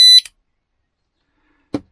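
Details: Oxford Screamer motorhome alarm, test button pressed after reassembly: loud piercing high tone for a fraction of a second, then stops; alarm working properly.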